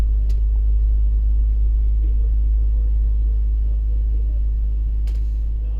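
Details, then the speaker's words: 2004 BMW X3 3.0L six after replacing the faulty ignition coil that caused the cylinder 1 misfire (P0301): deep, even idle with a steady rhythm and no miss, running really smooth; normal idle after repair. "uh look at that way better it's running really smooth now I am happy with that"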